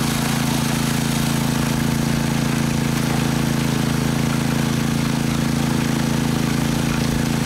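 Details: Honda WX15 1.5-inch water pump engine running with choke off while the pump primes: steady, even small-engine drone at constant speed with no knocks or misses; running normally.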